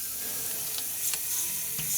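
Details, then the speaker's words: 2004 Freightliner school bus with C7 Cat engine, under rear of bus: steady sharp hiss of air leaking from the air suspension leveling valve, pitch changing; valve defective, to be replaced. "can you hear me change the pitch of that sound so this leveling valve is definitely leaking"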